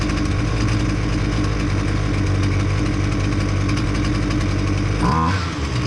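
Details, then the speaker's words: Husqvarna 128L string trimmer after carburetor replacement for flooding no-start: small two-stroke buzzing at steady fast idle with even beat, no stumbling or loading up; runs clean, no flooding. "I don't show you whether or not it's flooding at the exhaust but I can tell you that it did not"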